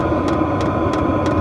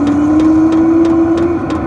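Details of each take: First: Vevor diesel heater from Amazon running: sharp ticks about every third of a second over steady fan hum from the pulse-type fuel pump, louder at higher temperature settings; normal but annoying. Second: Vevor diesel heater from Amazon at start-up: steady even blower rush with faint tone creeping slightly higher in pitch, jet-engine-like fan spinning up; blows cold air for two to three minutes before heating; normal.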